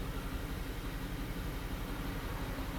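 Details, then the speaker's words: 2011 BMW X6 E71 4.4L N63 V8, plugs and coils already replaced, idling in drive: uneven lumpy pulse with heavy misfires on cylinder one, later about a thousand on cylinder five. "it is a little off looking at our misfire counter we got huge amounts of misfires on number one"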